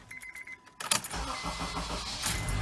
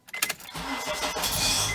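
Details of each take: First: 2007 Honda CR-V with 203,000 miles after replacing a starter that had been grinding: a few light clicks, then a short, even crank and the engine catches with no grinding. The new starter works normally. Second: 2007 Honda CR-V at about 203,000 miles, during engine start: a few sharp clicks, then a harsh, gritty metallic grind as the engine catches; owner suspects the starter gear doesn't retract in time and hits the flywheel, and is replacing the starter.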